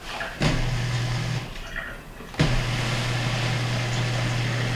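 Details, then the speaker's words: Whirlpool KUDS35FXSS3 dishwasher after fuse kit repair, cancel-drain cycle started: after a click a steady low hum starts and holds with water swishing; drain pump running normally. "so I'm going to set it up into a cancel drain cycle just by hitting the cancel button we're going to close it and when you hear the drain pump come on"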